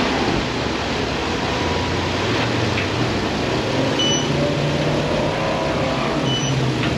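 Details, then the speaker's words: Car first fired up after repair work, with the under tray and tires not yet refitted: a steady, even engine hum at idle with no knocks, ticks or misses. "I'm going to fire it up, see how this thing runs first. Let's do it. That is music to my ears."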